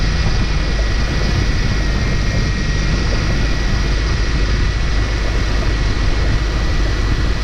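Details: First start of newly installed engine just past midnight, oil pressure climbing, power steering low on fluid and squawking: steady, even low rumble with no knocks, misses or surges; motor sounds good, normal running.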